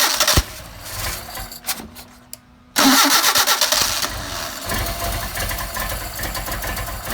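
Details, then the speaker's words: Mercedes 190SL with Solex carburetors, after sitting several days, warm weather, started with choke on: cranks, catches roughly, stumbles irregularly; engine flooded because choke was not needed. "Yep. Flooded it. So, we didn't need the choke. It's too too warm out."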